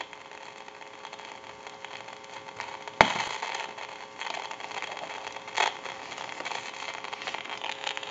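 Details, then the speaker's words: Northern Electric Galion rotary desk telephone handset on initial checkout: constant staticky hiss with crackles and pops that can worsen over time, typical of a worn carbon transmitter. "we want to listen to this handset you can hear that crackling static and it can get worse the longer it goes along"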